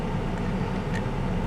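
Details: 1998 Chevrolet S10, Vortec 4.3 V6, warm idle after intake gasket replacement and new coil, coolant refilled: low, smooth, even rumble with no misses, knocks or hiss; antifreeze burning smell gone, runs cooler, owner suspects the old thermostat was sticking.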